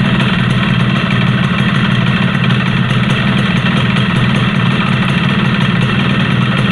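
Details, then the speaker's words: Yamaha RX King two-stroke at idle with a rough, light rattling tick from a loose piston slapping in its bore (piston slap). The planned fix is pressing the piston back tight into the block rather than boring it out. "Jelas ya, kedengaran suara yang melitik oblak piston."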